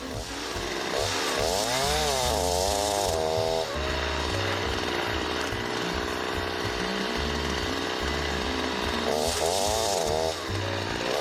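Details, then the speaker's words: Chainsaw cutting konara oak hardwood with over-filed depth gauges: the revs sag and lurch as the cutters bite too deep, and the chain bogs and stops in the cut. "ご覧のようにですね、刃が食い込みすぎてしまって装チェーンが止まってしまうんですよね。"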